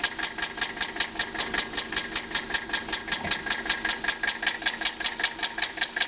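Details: 1985 Mercedes 300TD diesel, driven on low oil until loud noise began, idling with a sharp, even metallic knock about twice a second; owner asks if rod knock, cause unconfirmed.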